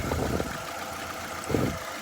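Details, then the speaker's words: 2012 Nissan Altima 2.5 S after swapping ignition coils between cylinders: an uneven idle with lumpy bursts about every second, still misfiring. The coil was later ruled out, and spark plugs are the next suspect. "so now that we've got those cool switched around we're fired back up you can see obviously look at the mountain it's still misfiring"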